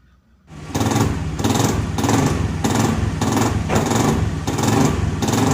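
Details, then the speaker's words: Honda Scoopy FI scooter running: harsh rattling roughness pulsing about 1.5 times a second from inside the CVT; rough CVT noise, cause still to be checked. "Kondisinya yaitu terdapat bunyi kasar pada bagian dalam CVT-nya seperti itu ya teman-teman. Bunyinya bisa dikatakan terlalu kasar itu teman-teman ya."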